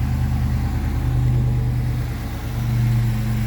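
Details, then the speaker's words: Brand-new, factory-calibrated 430hp LS3 EFI V8 in a 1985 Toyota Land Cruiser FJ60, just after one of its first starts: steady, even low rumble with no misses or knocks. Smooth, healthy idle. "thing settles into a nice idle here. Slick, smooth. These LS engines are great."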